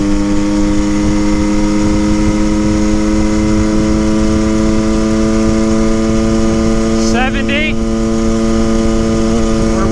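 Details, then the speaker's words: 1974 Honda MT250 Elsinore after tuning fixes, wide open throttle top-speed run, first time reaching redline: clean, steady high-revving buzz, no crackle or misfire, earlier crackling gone; healthy wide-open throttle run. "I don't hear that crackling noise anymore it's not making that noise that's a good sign that's the first time I've actually redlined it it would never make it before"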